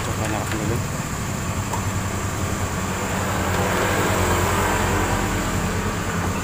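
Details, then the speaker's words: Automatic scooter CVT: steady run with a coarse grinding rattle and uneven knocking. The drive belt is damaged and the rear pulley bearing has failed, caused by a worn roller housing. "[Tepuk tangan] suaranya mengerikan sekali di bagian sini"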